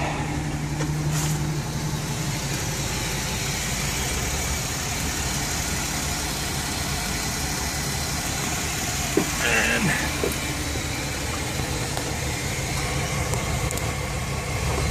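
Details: Chevy Express van 4.3L V6 after repair: the P0300 and cylinder 5/6 misfire was traced to the lifters, which were replaced, and Lucas oil stabilizer added. Even, settled idle with a smooth rumble and no ticking, normal, and no check engine light.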